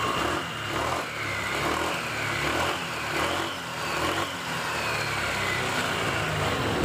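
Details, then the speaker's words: 2021 Honda PCX 160 after CVT service, parts cleaned and shimmed with sandpaper strips, no parts replaced: short rev bursts with smooth, even drive note; the front clacking on sudden throttle is gone, transmission sounds healthy. "Oke jadi suara kelak-kelak di bagian depan saat digas sudah tidak ada lagi ya sudah halus Kembali"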